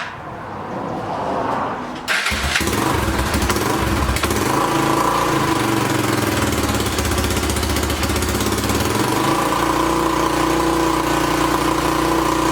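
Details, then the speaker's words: 2006 Honda TRX300EX four-wheeler first start after carburetor cleaning, choke on, fuel off: cranks and catches within a couple of seconds, then a steady single-cylinder putter with a small blip; starts and runs fine. "here we go i gotta owl it up man that thing cranked instantly i didn't think it was gonna crank that"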